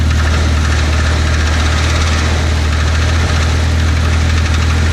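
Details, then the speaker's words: Cheap Volvo red block, cold start, heard outside: loud, loose, uneven knocking at idle, roughly four a second over the engine hum; engine knock, owner unsure whether rod knock or piston slap. "Yeah, so it's not supposed to be that loud. That's definitely not good, but I think it'll still last a long time."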